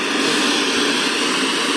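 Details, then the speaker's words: Sony CRF-320 32-band receiver under restoration, tuned between FM stations: loud, even hiss with no tone or voice, the normal interstation rush that the FM mute switch would otherwise quiet; FM section works. "there's something called a mute switch and that keeps the um sound between stations on FM quiet"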